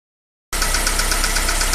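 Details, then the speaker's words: Daewoo Nexia GM 8-valve, lifters already replaced, no piston or play faults found: sharp, light ticking about eight per second over idle, same cold and hot; worn rocker arm knock in the valve train. "Слышим, есть вот такой стук. Этот стук и на холодную, и на горячую одинаковый."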